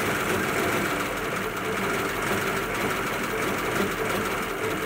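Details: 1941 Ford pickup flathead, refitted rotor arm and distributor cap: uneven, lumpy running with a stumbling beat over a thin idle; it won't rev.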